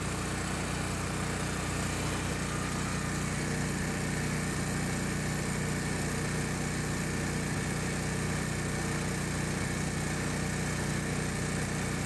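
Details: Generac 8kW standby generator run for 30-40 seconds after full service: valve adjustment, new spark plug, oil and filter change, air filter change, battery at 13.5 V; steady even drone at about three pulses a second, no knocks or misses; runs normally.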